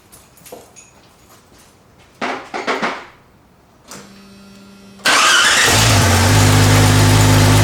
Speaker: all right problem solved um starters replays fires up fine it's good to go